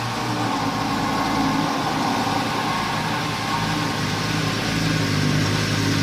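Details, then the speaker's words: Wrecked Lamborghini Gallardo after rebuild with new crankshaft seal and exhaust installed, first start: smooth, busy multi-cylinder idle, even hum, no ticking or knocking, slight burn-off from condensation; normal idle. "As you can see, the car is actually running good. It also sounds good."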